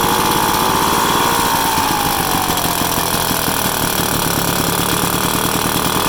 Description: 1966 Vespa SS180 engine on the stand for it's first start up after rebuild.